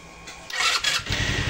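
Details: Revx 125 (Fekon) motorcycle, owned 3 years, after temporary fix of a burnt, pulled-out plug connection found during carburetor and electrical check for stalling on throttle: starter whirrs briefly, catches first try, steady even putter; normal start.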